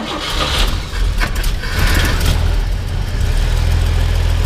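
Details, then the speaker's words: 1959 Chevrolet Model 1305 panel truck, cold engine with dual exhaust, choke eased down so the idle moves up and down: deep, smooth, even rumble at a slightly raised idle; healthy cold idle on choke. "Go ahead and just turn the choke down just a little bit so they can hear it go up and down. You can hear the choke."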